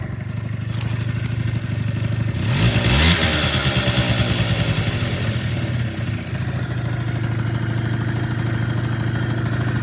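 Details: Honda Dio 34 two-stroke scooter after a budget repair for rattling and knocking under throttle (needle bearing, fuel filter, exhaust gasket replaced): starts with a brief rev, then settles into an even, steady idle with no knocking or rattle; normal running.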